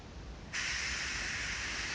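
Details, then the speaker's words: Homemade silent air compressor, cold day: quiet low hum then a sudden steady sharp hiss as the safety pop-off valve is adjusted and opens, venting air. "now you should be able to hear that that's the air coming out"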